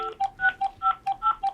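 Eight short two-pitch beeps at about five per second, clean dual-tone keypad dialing; the phone is sending touch-tone correctly.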